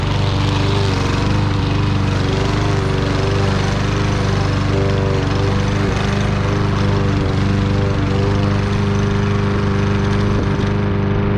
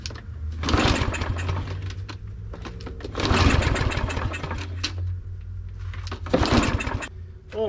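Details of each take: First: Troy-Bilt single-cylinder mower with low compression, after carburetor clean: steady drone holding speed through thick grass, no misses or surging; running better than expected. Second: Fairly new Troy-Bilt push mower, no-start, broken recoil string: three short pull-cranking bursts with a little gas primed into the carburetor, no catch; cause found to be a sheared flywheel key.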